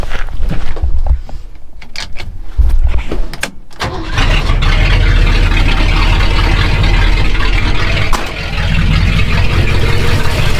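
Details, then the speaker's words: 1967 Ford F250 just fitted with new Edelbrock Performer intake, Holley Truck Avenger carb, straight pipe: starts and idles fairly smooth with a slight tick, owner suspects an exhaust leak. "Sounds like I have an exhaust leak or something going on over here. It's a slight ticking. She's running pretty smooth. She sounds good."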